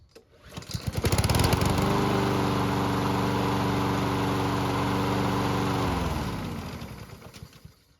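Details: Lawn mower being fixed for surging: the pull-start catches fast and the engine holds a steady, even drone for several seconds without hunting, then winds down when shut off; normal steady running.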